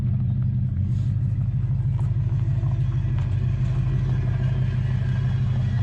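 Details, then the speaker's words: Rare Dodge truck with a 440 V8 after a Demon carburetor swap and new welded mufflers, over 60 psi oil pressure: deep, even rumble with a steady beat and no knocks or misses; it is running healthy. "We got the carburetor changed out, put on some thrush welded mufflers, which are some of our favorites. Give it that nice deep rumble."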